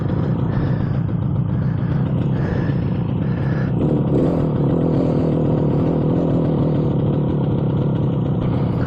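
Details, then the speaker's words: 58-year-old 1967 Yamaha YR1 two-stroke street bike with an unresolved gas leak, owner suspects gas leaked into the cylinders; warming up after starting, uneven lumpy clattery beat with misses and hunting revs, smoky, rough running. "It's not running great, but it's running. Let it warm up for a second."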